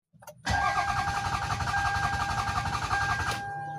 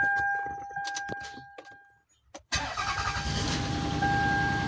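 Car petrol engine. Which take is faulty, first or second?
first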